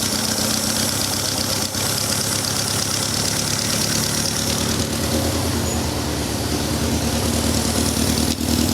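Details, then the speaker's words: Pinto 2.0L engine with Weber DGAS 38 carburetor on a Van Diemen RF-85, just started, AFR around 19 before idle mixture adjustment: uneven slightly hunting idle with hollow popping; lean idle mixture. "as you can see, we are running fairly lean, around 19, which is way too lean."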